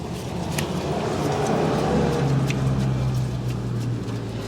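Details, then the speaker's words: 2011 Honda Pilot rear brake after pad replacement and cleaning dust from the parking brake drum: the spinning rotor gives a soft, steady scraping rub with no squeal or squeak. Light parking brake shoe contact, acceptable. "you can hear it's already a lot quieter we don't have any squealing or squeaking you can still hear the shoes making a little bit of contact and that's okay"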